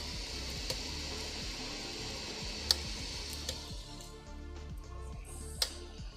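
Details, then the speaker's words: Sovol SV06 Plus 3D printer extruder: sharp irregular clicks every second or two over printer hum after tightening the extruder tension, on long filament runs; extruder skipping, owner suspects tension or print speed, cause unclear. "if I tighten that I don't know if you can hear that I'm getting a click"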